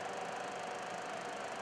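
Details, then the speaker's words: Pump-type electronic combustible gas leak detector near furnace gas piping: quiet, steady mid-pitched tone held continuously with flashing light as it nears a very small natural gas leak; gas leak detector alarm on small gas leak. "we're going to get closer to it and hopefully you hear the sound of it you can see the light is flashing it's a very small leak"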